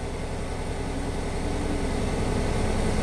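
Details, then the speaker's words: Ford van with a rebuilt transmission that has about 20 miles on it, starting for a test drive: steady even engine hum with a low regular beat, no knocks or squeals; normal idle. "so it starts up sounds pretty good"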